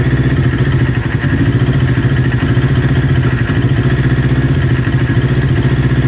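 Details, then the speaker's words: Newly built Kawasaki Ninja twin, warm idle before coil pack replacement: steady beat with occasional stumble; exhaust manifold temperature checks show right-hand cylinder running 15–20 °C cooler, suspected misfiring from a faulty ignition coil. "because the bike is idling, it's just now and then it has a stutter, so the one cylinder is going to start running a little bit cooler than the other, and the one that's running cooler is potentially the one misfiring"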